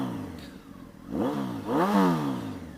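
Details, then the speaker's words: 2007 Honda 919 (CB900F7) with aftermarket Delkevic exhaust: two smooth throttle blips with a high-pitched engine whine and slight valve ticking, both described as normal for the 919; healthy running. "So, but so here's, she's running. That's what it sounds like running."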